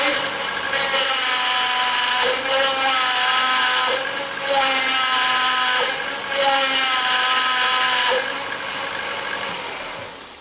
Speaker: Now that's the noise on obviously this car, and obviously you only get it when you turn the steering wheel, so that can really only mean a couple of things. If your car's got power steering, well it's something to do with your power steering.